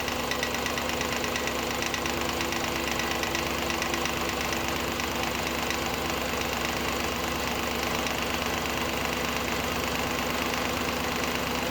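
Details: Audi A8 D2 with the ABZ 4.2 engine at idle, drive belt removed for diagnosis: a light metallic rattle about twice a second over the idle. The whole front timing cover was loose with a bolt missing from earlier work; refitted with thread sealant.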